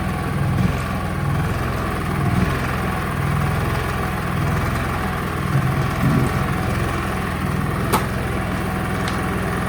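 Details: Honda EU30is 3 kW inverter generator bought untested at auction, running on half load setting: even, steady drone at constant speed with no knocks or misses, running cleanly.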